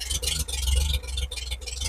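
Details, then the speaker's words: 1950 Chevrolet truck after fuel pump and ignition-switch rewiring with internally resisted coil: steady low idle with even beat and brisk exhaust puff, no misses or knocks, 40 lb oil pressure; normal idle. "just going to sit there and idle what a good old truck"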